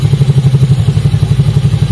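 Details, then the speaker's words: Scooter final test after new torque drive assembly replaced the ungreased one: steady low belt-drive drone with even pulsing beat, nothing rattling or grinding; earlier noise gone, CVT healthy. "Yan bok, wala na. Wala nang ingay kanina mga bok."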